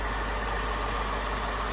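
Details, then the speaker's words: BMW 6 Series E63/E64 with N62 V8 idling: steady, smooth low drone with no knocking, vibration or misses once the vent valve stops; healthy idle. "vent valves just about to turn off i think yeah so all we can hear now is the sort of various little noises from the engine so anyway that gives you a good impression of what sort of noises you should expect from the n62 nothing knocking nothing vibrating absolutely dead still in the engine bay there and idling happily"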